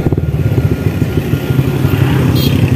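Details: Honda Wave 100 motorcycle engine running, owner reporting noise: rough, clattery low pulsing throughout; something mechanical sounds loose, source not yet pinned down.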